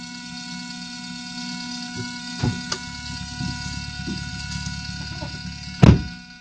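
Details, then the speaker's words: Idling turbo 4EFE engine fitted with a DIY knock-monitoring kit, heard through a stereo aux input: a few sharp ticks from a fingernail and then one loud clack from a pebble tapped on the knock sensor, simulating detonation. "right I'll just prop the phone up and I'll I'll do the fingernail test and I'll do the pebble test"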